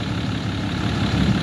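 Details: 2012 Ram 3500 6.7 Cummins diesel at idle after replacing a water pump with a loose, rough pulley and a broken belt, new belt routed past the tensioner: steady deep rumble, even firing, no squeal or knock, no leaks, running cool.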